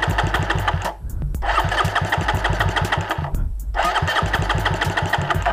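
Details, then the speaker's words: Raider 150 motorcycle climbing uphill: uneven popping bursts that fade out and restart every second or so, engine stalls and bogs as if flooding under load; owner suspects a spark plug problem, runs fine on level ground. "Ayaw na. Ayan mga ka-ar paggaganyan ayaw na siya."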